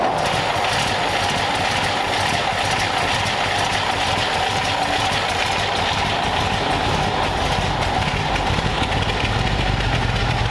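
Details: 1932 Ford Roadster flathead V8 with new custom true dual exhaust, in neutral, run briefly in the shop without radiator: steady even burble at idle with no misses or ticking; healthy idle.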